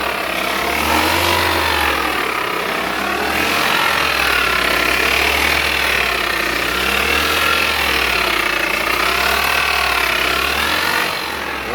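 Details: Toyota Altis with CVT gearbox howling and noisy: a wavering high whine rides over a low engine hum from a worn CVT bearing, fixed by replacing the CVT bearing.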